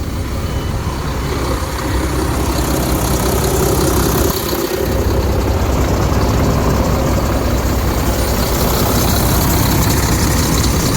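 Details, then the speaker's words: Diesel truck after repairs, mileage given as 886, with no check engine or lightning-bolt light and working AC. A deep, steady rumble with an even beat and no knocks or misses; a healthy idle, and the truck runs and drives fine. "Drove down the road. It It runs good. It drives good. It handles good. Um doesn't do anything weird."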